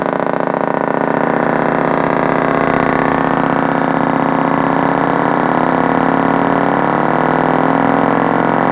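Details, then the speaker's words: Kenwood 745 old-school amp on a bench test, pulse input on and turned all the way up: a loud, steady, distorted test signal holds with no cutting out or crackling, so this channel is working normally. "So, that tells me we're good on that side."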